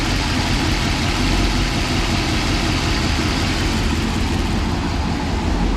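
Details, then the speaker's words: Ford Police Interceptor 312 V8 with twin four-barrel Holley carburetors (top-mounted bowls), recorded from the rear: a steady, even idle with a deep smooth burble and no knocks, misses or ticks. The engine is idling healthy. "Just as smooth as anything out there. It's a beautiful piece of old technology."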